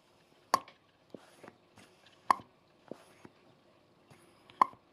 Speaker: and that means it's witness presser against it